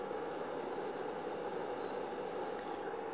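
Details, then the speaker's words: Repaired induction cooktop (twin IC LM339 + microcontroller board, 1µF 50V capacitor replaced), powered via series lamp, no pan on top: one short high beep then quiet, no error code, shuts off; normal no-pan behavior. "Metal sense कोई error code नहीं देगा, लेकिन metal रखा हुआ नहीं है, इसके ऊपर मेटल नहीं रखा हुआ है, इसलिए कोई एरर कोड नहीं। कुछ दिन ऐसा बीप का साउंड आएगा, बीप का साउंड बढ़ेगा और अपने आप ऑफ हो जाएगा।"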